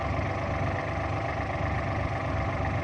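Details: Kubota L3830 diesel tractor after replacing a faulty ignition switch that caused hard starting, battery fully charged: even low diesel chatter at a steady idle, no stumbles or cut-outs; normal idle.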